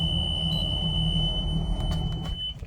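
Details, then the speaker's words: Boston Whaler 330 with Mercury JPO power steering, engine running; steady high-pitched alarm tone sounds continuously then cuts out after the pump signal connector is deliberately unplugged; steering fault alarm, both pumps confirmed working. "we should get alarm here also cuz I just unplugged it"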